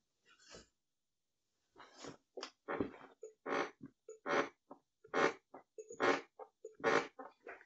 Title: Permanent repair of squeaky swivel office chair backrest. Stop noisy chair backrest